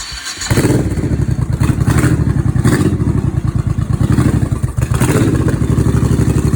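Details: 1989 Honda Shadow VT1100C bobber after swapping airbox for open air filter and fitting cheap fuel pump: starts into lumpy even V-twin idle with a blip; pump clicking not audible over engine; runs fine.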